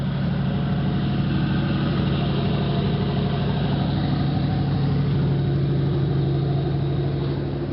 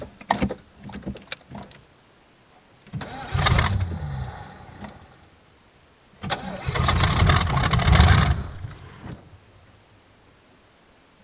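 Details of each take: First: 1986 Oldsmobile Cutlass Supreme 305ci Chevrolet V8, warm restart after sitting 60 days; fires right up and idles with a smooth, even low rumble, no misses or knocks; probably still needs a tune-up. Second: 1986 Oldsmobile Cutlass Supreme, 305 Chevrolet V8, cold start after 60 days parked, battery recharged: two long bursts of slow labouring cranking, about four beats a second; prolonged cold crank, then it starts; running out of fuel briefly suspected.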